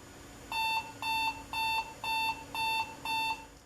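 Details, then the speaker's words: Compaq Contura Aero 4/33C laptop powered from power brick: drive spins up and six short, even high-pitched beeps about half a second apart at power-up; suspected related to disconnected display, not confirmed. "The drive is spinning up. I also hear some beeps, which is probably related to the disconnected display."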